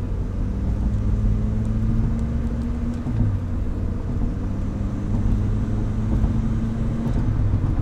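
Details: Unstable idle whose low drone dips and recovers every few seconds. The owner says it has improved but still acts up at times and suspects a vacuum leak, which is unconfirmed.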